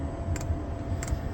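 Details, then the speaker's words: Diesel heater being installed in a bus, first startup: after glow-plug preheat and a little smoke, the fuel dosing pump kicks in before ignition. Soft, sharp clicks roughly every 0.7 s over a low hum are normal dosing pump ticking. "Still waiting for the fuel pump to kick in, for it to ignite. Fuel pumps kicks in."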